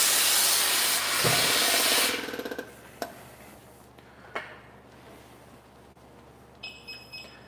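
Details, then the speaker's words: Firefighter's SCBA air pack as the air cylinder is turned on: sharp rush of air that quickly dies away, then three short high beeps from the built-in PASS device, a normal start-up check. "do you hear the three beeps so all of our air packs they have a special device built into them that we call a pass device and that protects our firefighters"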